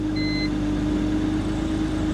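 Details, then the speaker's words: 2004 BMW 325Ci with 176,207 miles, started at auction nearly out of fuel, settles into a steady, even idle with a clean, constant hum and no knocks or stumbles; the engine sounds healthy. "Hey, it actually runs really well. I mean, it's completely out of gas. Completely out of gas. It's almost like somebody left this thing running or something. I don't know. Sounds healthy. This is not bad."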